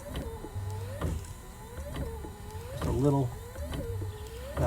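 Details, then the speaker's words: 2017 Ford Transit diesel dually: wiper motor whirs in regular sweeps, each ending in a soft thump and scraping flap as the wiper linkage rubs loose plastic trim; earlier linkage creak already fixed. "here actually it's flapping against a piece of plastic back there I can hear it and I can see it moving"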